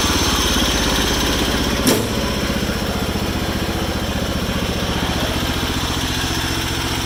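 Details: 214 tractor with a single-cylinder engine, bought as a parts/spare engine, a little low on power with head gasket replacement planned: thumping at fast idle with a slightly uneven beat; runs all right but somewhat rough, cause unclear.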